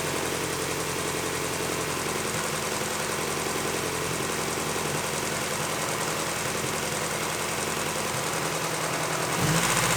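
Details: Engine idling just after installing a 1320 aftermarket timing belt tensioner replacing a maxed-out factory tensioner; steady, even idle with a light regular tick, no slap or rattle; normal idle.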